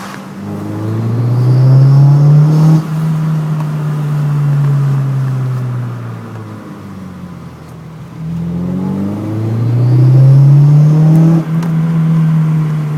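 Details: Renault Clio under acceleration: the engine note climbs and falls with the throttle, with a hollow whooshing "sucking" intake sound rising on each pull. Source not identified.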